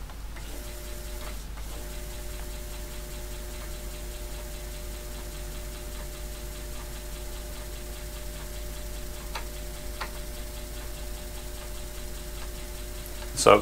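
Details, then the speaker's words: Wren computer floppy drive reading a cleaned, straightened disk with damaged area: steady motor hum with scattered faint ticks and a sharp clack near the end as it retries bad sectors that don't read well; drive struggling with damaged disk. "we can see the disk is reading fairly well now there are some bad sectors on here that don't read very well"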